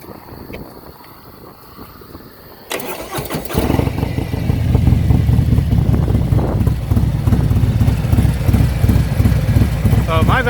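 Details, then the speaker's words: Harley M8 big twin with an S&S 475c cam installed, at idle: lumpy, even, deep loping beat with no ticking from the valvetrain, quieter than stock. "is actually very quiet I don't have any ticking noises even more quiet than it is from the factory"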